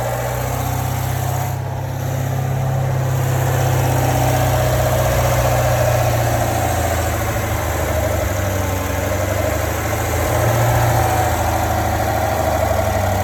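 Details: 2017 Corvette C7 Grand Sport with M7 manual; steady V8 idle with a light, loose rattle at low rpm from the engine compartment, source unknown.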